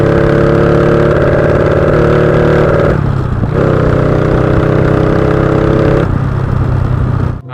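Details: Honda Wave 125i fuel-injected motorcycle fitted with a PCX150 injector drones steadily, then sags and stumbles as the throttle opens. Rich mixture hesitation, possibly worsened by a recently replaced fuel pump.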